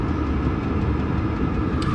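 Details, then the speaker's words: Chinese diesel heater exhaust after fitting Eberspacher silencer with stainless piping, outdoors: even low burble, less high-pitched, about 66 dB average versus 72 before; normal, quieter heater exhaust. "we are also hearing a quieter a slightly less high-pitched sound um you can still hear it"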